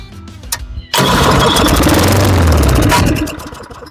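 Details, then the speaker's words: Lawnboy 10761 mower with Tecumseh engine after service and reassembly, primed three times, pull start. Catches and roars about two seconds, then fades and quits; starts then dies, cause not yet found. "Start and die, start and die."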